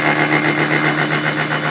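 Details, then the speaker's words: Final light 3/1000ths cleanup cut on a welded crankshaft for a homemade overhead-valve Briggs engine, after 15/1000ths passes; even whirring spin with a soft regular pulse, no chatter or screech, tool hardly touching. "There you can hear it. It's hardly touching."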